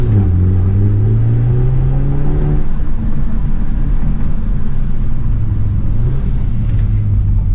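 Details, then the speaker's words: BMW F30 320i LCI on test drive after spark plug change, warm at operating temperature, Sport Plus mode; revs climb then fall with sharp exhaust pops and bangs on throttle closing. "oh yeah it does that pops and bangs"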